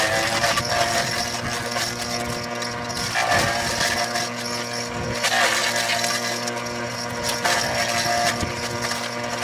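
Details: Forage chopper (forrageira) motor running with a steady hum and irregular rattling clanks every couple of seconds; abnormal motor noise, cause not stated.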